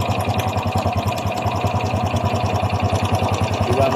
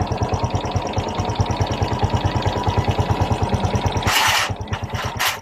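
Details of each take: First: Honda XRM 125 Fi engine at idle before repair: fast, even metallic clatter on every engine beat, loud over the exhaust; a worn, slack timing chain, fixed by replacing the chain, not the connecting rod or the roller. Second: Honda XRM 125 Fi after replacing loose timing chain (roller guides and tensioner also replaced); even single-cylinder putt about two beats a second, no ticking, brief blip; clean normal idle, earlier ticking caused by timing chain.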